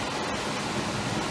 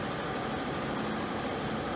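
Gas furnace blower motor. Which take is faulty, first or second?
second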